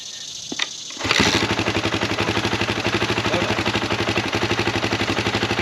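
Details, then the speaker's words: 2004 KTM 450 EXC after new forks fitted, back after months away; starts on first kick and settles into a steady, even single-cylinder thump with no knocks or rattles: healthy idle. "I'm going to start it up, let it run for a few more seconds. I love that it just started first kick, that's awesome."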